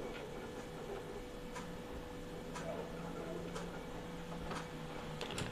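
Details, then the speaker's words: Epson L15160 printer, about 350,000 prints, timing belt previously replaced, high-quality print, mic moved closer: quiet hum with sharp clicks about once a second as head travels; crooked, ghosted lines; cause unconfirmed. "tuh ada suara kasar ya saya coba dekatkan deh mudah-mudahan lebih kedengaran ya"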